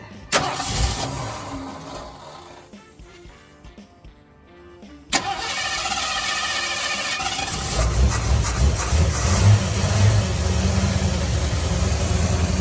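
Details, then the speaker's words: 1970 Ford F-100 with Mexican-block 289-type V8, first start after a while on fresh gas and battery: short crank, then catches and settles into a steady, quiet, even idle with no knocks or misses. "I think he's a great old motor really good motor that's quiet it is this is super fun"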